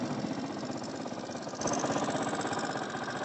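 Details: Honda CD 70 engine rebuilt from scrap, first start after assembly, idling: light, quick ticking because tappets are deliberately left loose, to be adjusted after 50–60 km. Valve tappet noise (loose valve clearance).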